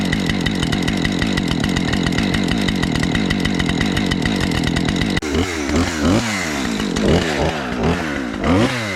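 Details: Husqvarna 550XP chainsaw, restarted after sitting about 6 months, cutting a wind-downed box elder limb: steady high-revving two-stroke buzz through the cut, then lumpy uneven idle; saw pulls strong and sounds healthy.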